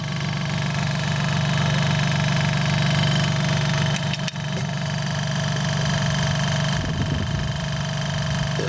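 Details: Vintage Westinghouse domestic fridge with rotary compressor, after rewiring: even low hum with a faint steady buzz, no knocking or rattling, much quieter than before, cycles on and off quickly using little power; normal running.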